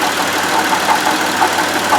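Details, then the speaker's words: Buick Lucerne at idle, stethoscope on the idler pulley: a smooth, even whir with no grinding or chirp, so the pulley is normal. The noise comes from the water pump, whose bearing has play. "pulley for the it's all normal all this sound is coming out of this water pump"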